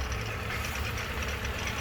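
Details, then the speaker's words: Petrol car engine at idle; the cambelt was recently changed but the water pump was not. Dry, scratchy rasp over a steady low rumble; owner suspects the water pump bearings, not confirmed. "nigel has developed a scratchy kind of sound and i am 95 sure i know exactly what it is and i'm about 40 sure i'll have it fixed today i believe that sound to be the bearings on the water pump"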